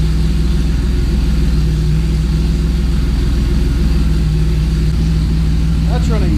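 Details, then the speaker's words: 1990 Mercedes-Benz 300E, long-sitting, running after fuel injector cleaning: loud, deep, raw idle with steady low pulses and no muffling; catalytic converter and entire exhaust downstream were stolen. "As you could probably hear, while this car was sitting, someone unfortunately stole not only the catalytic converter, but the entire exhaust system downstream of it as well."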